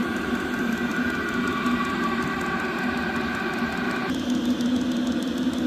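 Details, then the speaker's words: Vevor 8 kW diesel heater (newer model), first run, wide open on high: even fan roar and steady combustion hum with only faint fuel pump ticking, pump not loud at all; hot, dry output air; normal running on high. "It's really hot. Whew. Can't stand to hold it there long. But yeah, that pump's not loud at all."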